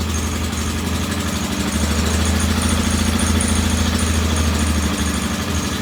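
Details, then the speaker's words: Norton P11 vintage British twin, first start after carburettor disassembly and replacing dead gasoline with fresh: lumpy, wandering idle; one carburettor's pilot jet doesn't follow adjustment like the other side's, to be cleaned again. "I'm going to clean this pilot jet one more time. It doesn't seem to be following the adjustment as well as the jet on this side."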